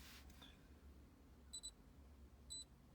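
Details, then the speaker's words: Launch X431 V Pro scanner's Bluetooth dongle on the OBD2 port under the dash of a Jeep: two quick high chirps then another a second later as it pairs normally. "you can hear it's uh beeping as it connects all right"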